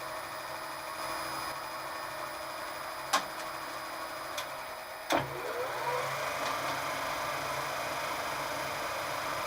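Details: DIY static phase converter using Huanyang 4kW/400V VFD, 230V single-phase input to 400V three-phase, powering a surface grinder/mill: steady, even motor hum with faint high whine, smooth under light load with a few handling clicks; running normally.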